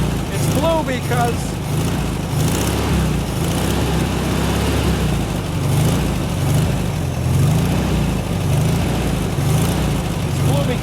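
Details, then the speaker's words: 1972 VW Super Beetle, first run with two-stroke oil in the fuel and fuel poured into the carb: steady, low, even rumble with no misses or knocks; fuel gauge reads empty and no fuel is seen reaching the filter; normal running. "i got two cycle oil in it that sounds pretty damn good"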